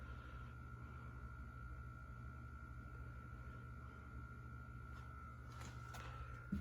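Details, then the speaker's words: 1987 Hunter Original 52-inch ceiling fan, first test after rebuild (shaft and flywheel raised, bearings and switch housing cleaned of gunk): quiet smooth hum on low speed, faint steady tone, no wobble or ticking. Runs sweetly. "na give her a test to show you how it turned out it just runs like a charm it really does"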